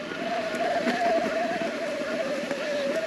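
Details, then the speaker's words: Merida eOne-Sixty 875 e-MTB, brand new, fully charged, on trail: steady mid-pitched motor whistle over trail rumble and wind. Normal mid-drive motor whine. "so yeah already you can obviously hear the whistling of the motor"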